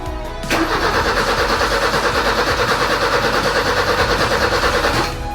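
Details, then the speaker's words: BMW E30 with M10 engine, cranked after fuel pump work; the pump is heard priming, and the starter turns the engine steadily for about four and a half seconds but it never catches. Crank no-start, cause not confirmed. "This damn car doesn't start, bro. It does not start at all. And I hear the fuel pump priming while I while I crank it and it still doesn't start."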